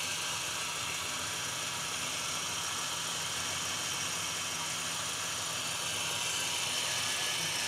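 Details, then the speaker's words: 2000 BMW E46 318i with M43 engine: steady, even idle around 900 rpm with no hunting, misses or knocks; very stable and smooth, low vibration indicating good engine mounts, normal idle. "Idling systemnya itu masih sangat stabil. Di RPM di bawah 1000, sekitar 900-an. Biasanya kalau mobil bermasalah itu RPM-nya ngayun, ini enggak."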